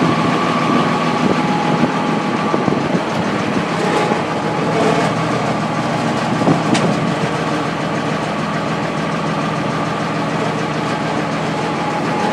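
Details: M35A2 deuce diesel truck idling with a loud clatter and an uneven knock riding over the rumble; knocking at idle, cause not yet pinned down.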